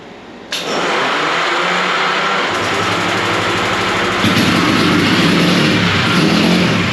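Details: 1965 Montgomery Ward Benelli 125 spun on a homemade starter roller: steady whirring churn with faint rhythmic pulse, engine turns over but never fires.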